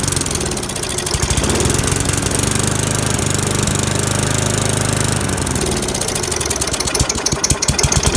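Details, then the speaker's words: Free lawnmower with a small single-cylinder engine, after cleaning the carburetor and points; started with brake cleaner, air box off, no choke. Thumps fairly evenly, then stumbles, loses its beat and stalls, a repeat of the earlier problem. Fuel is leaking; the idle still needs adjusting. "so that was the same issue this thing had last time it run for a little bit then stall"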